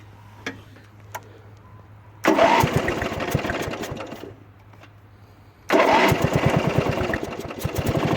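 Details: Toro Wheel Horse 8-25 ride-on mower, bought cheap and fixed, safety switches checked: the small single-cylinder engine catches and settles into an even, lively chug, eases off, then fires up again cleanly; it sounds healthy.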